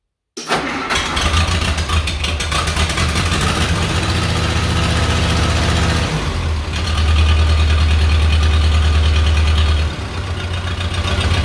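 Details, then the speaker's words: Case 311B tractor after carburetor clean and rebuild, in neutral, full choke and full throttle: fires straight away, steady even low beat, briefly rising with throttle then settling; starts and runs fine. "sounds pretty good to me"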